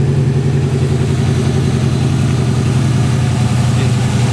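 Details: 1963 Oldsmobile 88 V8, cold start at about 35°F and warming up: a deep, loud, rumbling idle at about 160 pulses a minute with a raw exhaust bark from a blown muffler. It has some blow-by but runs smooth.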